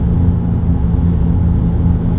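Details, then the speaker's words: BMW F11 530d xDrive, 416,000 km, driving at 100–130 km/h: steady low droning hum, faint tone near 190 Hz, from the rear axle, starting around 60 km/h and rising in pitch with speed; rear wheel bearings suspected (fronts new), differential possible. "ja und der Verdacht ist für mich nahliegend dass es an den hinteren Radlager liegt man hört do deutlich dass es von hinten kommt weil die vorderen sind schon neu"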